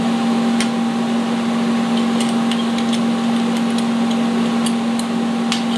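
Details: Vulcan ProTIG 200 welder, AC TIG on aluminum, tacking and welding: steady even buzz with low hum and occasional crackles; smooth, stable normal AC arc.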